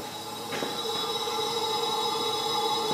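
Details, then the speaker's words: 2004 Dodge Ram 5.7 Hemi that misfires and won't idle, leak-down test at 100 psi with 90% leakage: a steady airy hiss escapes from the intake side, pointing to air leaking past the intake valve. "can hear that hissing like I said I'm gonna go bar the engine over if it just continues to leak out of the intake then you know we know our problems on the intake side"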